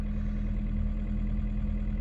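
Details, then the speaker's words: Vauxhall Astra Mk3 GSI first start after new battery, long unused: steady low idle, even hum, no knock or tick, but oil pressure warning light stays on; owner suspects oil leakage, cause unconfirmed. "the ignition lights some noises fingers crossed guys here we go all my days we're in oil pressure light is on though"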